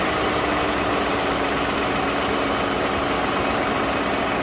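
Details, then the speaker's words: 1989 Mercedes-Benz 560SEL W126, AC compressor relay jumpered, idle speed control valve raising idle: smooth, even idle hum with no knocks or surging; normal raised idle. "you can hear the unit will line up so the idle speed control valve is working correctly"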